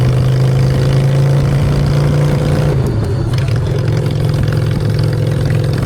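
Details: Honda Shadow V-twin after a custom makeover with custom exhaust, choke out, in neutral: a deep, loud burble holds a steady idle, then shifts pitch as the throttle moves, with no knocks or misses. Normal idle and revving.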